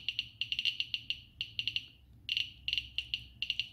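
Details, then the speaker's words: Geiger-Müller counter board with Arduino Uno and Nokia 5110 LCD; alpha source at GM tube, counts rising rapidly to 438, later 540 (almost 1 µSv/h); sharp irregular high ticks about six per second in clusters, strong counting. "so you'll see that the accounts are rising rapidly 438 so huge countries"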